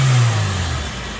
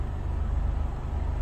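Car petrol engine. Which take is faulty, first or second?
second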